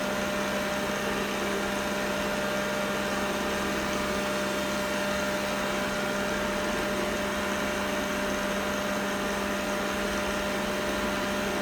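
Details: Roborock S6 robot vacuum, phone placed on the device, 01.11.2019: steady even buzz and fixed hum with no speed change, an abnormal buzzing noise.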